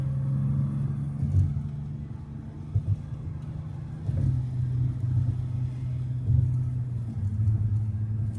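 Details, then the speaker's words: 1989 Toyota Cressida, running again after years of sitting on a new battery and fuel, on the road: low steady engine drone with a few road bumps, no knocks, misses or whine; running great, healthy engine. "Yeah, it's running great. Wow, this thing is so freaking cool."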